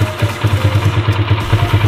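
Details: Motorcycle with PE28 carburetor, just after replacing the red Samco intake manifold rubber between carburetor and manifold: even, regular thumping pulses about eight per second, no misses or surging; single idles cleanly and healthily.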